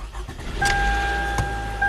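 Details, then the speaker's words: 2011 Toyota Camry 2.5, about 180,000 miles, codes P0015/P0017 exhaust cam timing: brief metallic rattle and uneven chatter on cold start, then it stalls; customer complaint confirmed, camshaft sensor already replaced without effect, cause unconfirmed. "got a little rattling startup yeah that's customer complaint confirmed so it starts up and dies okay"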